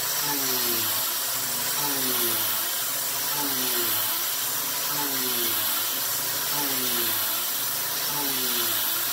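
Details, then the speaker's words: Mill cutting with a 3/8" 3-flute YG1 end mill: a harsh hissing cut, with the spindle tone sagging in pitch as the spindle bogs down. A narrower width of cut, about 0.080", is suggested as better. "all right well that was pretty darn quick actually you can definitely hear that the spindle was bogging down a little bit"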